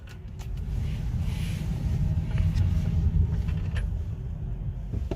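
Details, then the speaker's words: 2019 Hyundai Kona EV on test drive after lubrication fix for ticking when steering at full lock with throttle or brake; low even road rumble, no ticking; mechanic warns lubricant may wear out and noise return. "지금 테스트 드라이브를 나왔는데요 중 소리는 없어졌습니다 지금 제가 한두 바퀴 돌았는데 그 소리는 한번도 나지는 않아요"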